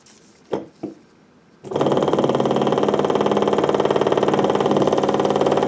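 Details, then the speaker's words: Fuel pump from 20+ year old Onan Marquis RV generator bench-tested dry on a 12 V battery: a couple of clicks, then steady buzzing whir pulsing about four per second; pump motor runs properly. "All right, so it definitely is operating. So now let's go ahead and see if we can actually pump some fuel through it."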